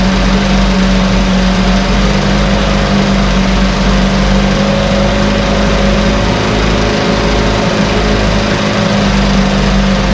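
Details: 1968 Evinrude Fastwin outboard, bought and only set in a test tank with no repairs, out of gear with no load: even, fast two-stroke burble with no misses, surging or knocks; no cold-start cough, Sea Foam in the fuel cleaning it out. Normal idle.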